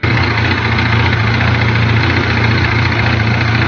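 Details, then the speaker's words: Kawasaki Z900 four-cylinder at idle: fine gritty rattle over the exhaust hum, long puzzling; cause a bent gear where the crankshaft drives the previously modified clutch basket. "这个异响是来自于曲轴带动离合大鼓的齿轮被打歪了。"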